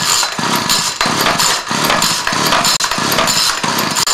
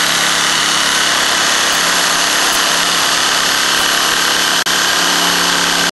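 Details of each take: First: String trimmer stored six months in freezing Utah weather: repeated pull-cord rips about every half second turn it over but it never fires despite choke and priming; carburetor gaskets, seals and diaphragm suspected. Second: Trimmer that sat six months in freezing Utah weather, carburetor blamed, started with a reversible drill spinning the starter in reverse: a steady, high two-stroke buzz at even pitch with two brief dropouts; it is running normally at speed.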